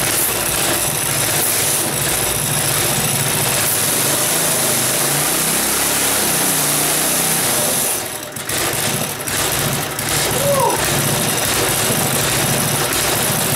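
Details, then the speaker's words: Briggs small single-cylinder go-kart engine, cold start in unheated garage, no throttle, started second pull: fast busy idle with brief mid-clip sag; idling high, owner suspects previous users raised idle because it wouldn't keep running. "um it's idling a little high i wonder if the lions club guys whoever was running it crank the idle up a bit because it wouldn't keep running or something"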